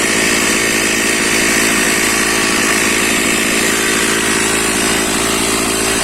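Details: Stihl MS460/461 chainsaw, cold start after refilling petrol mixed at 20 ml oil per litre, started on choke with decompression switch: loud, steady high-revving buzz with an even, unbroken note; healthy two-stroke running cleanly.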